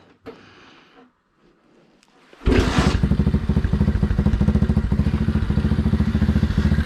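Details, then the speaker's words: Small single-cylinder engine with cheap carb on 607 lb tractor: cranks over then steady thumping idle about three and a half beats a second; best idle with mixture screw fully in, so too rich, smaller slow jet needed. "so it's got its best idol with the mixture screw all the way in means i'm too rich"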